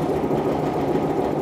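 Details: Stuart Turner P5M two-stroke single-cylinder inboard boat motor, just restarted, running quite smoky; fast even two-stroke beat with no misses or knocks; normal idle.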